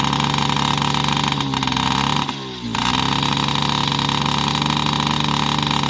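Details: Yamaha PW50 two-stroke after 5 years' storage, with aftermarket carb and cables, idles with a steady burble that stumbles briefly; it runs rich because the too-short choke cable kept the choke always on. The fix was refitting the OEM carb and throttle cable.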